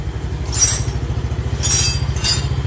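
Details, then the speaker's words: Carbureted Yamaha Mio scooter running: fast steady engine pulse with metallic scraping and ringing from the CVT; kick-starter pinion not returning fully, rubbing the connecting gear inside the CVT when the engine runs. "kayak hari ini kedatangan sepeda motor Mio karburator ini aku punya mengeluarkan suara berisik di CVT nya kalau mesin hidup"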